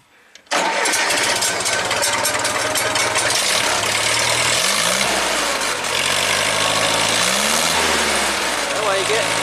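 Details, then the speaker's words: 1975 International Harvester 574 four-cylinder after main jet enlarged to 0.55: starts promptly, revs up and down cleanly with crisp throttle response and no stumble or black smoke; carburetor fuelling now dialed in. "I like it think right around and hopefully won't smoke too much all right we're doing fantastic here so we going to give some Trel no black smoke amazing throttler sponse I think we're dialed in"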